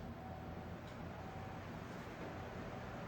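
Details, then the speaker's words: Old Sears table fan after servicing to remove motor creaking, reassembled and running on high. A smooth, even whir with no rattle or scrape, possibly slightly higher rpm than before: normal fan motor running. "that sounds so much better might have a slightly more RPM actually now it might be a tad bit more powerful than it was before"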